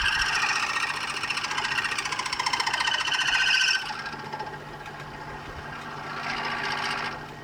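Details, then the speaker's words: Lathe machining a gear selector knob for a Kawasaki GT550 bobber: harsh, high-pitched rattling screech of the tool chattering against the workpiece, leaving an uneven finish. "But yeah, it's pretty chattery. If you're unfamiliar with LA terminology or machining terminology, chattering is just basically that that noise that you're hearing, the high-pitched chattering"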